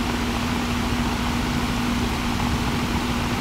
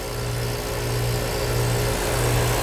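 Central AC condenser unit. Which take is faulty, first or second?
first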